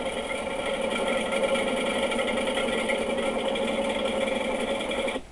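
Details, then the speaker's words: Washing machine in the spin cycle: a fast, dense, popcorn-like rattle over the steady spin hum, caused by a screw, probably from a clothing pocket, trapped between the tub and the drum. "o problema é esse aqui que vocês estão vendo na foto e isso mesmo era um parafuso que provavelmente caiu do bolso de alguma roupa"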